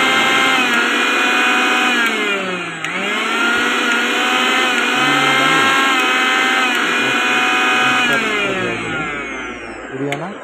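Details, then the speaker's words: V-Guard mixer grinder after motor bush replacement, washers fitted and oil added: high-pitched motor whine holding steady with slight dip, no rattle or harsh scraping; runs smoothly, the earlier harsh noise is gone. "ನೋಡಿ ಎಷ್ಟು smooth sound ಬರ್ತಾ ಇದೆ. ಅವಾಗ ಕರ್ಕಕ್ಕೆ ಸಂಖ್ಯೆ ಬರ್ತಾ ಇತ್ತು."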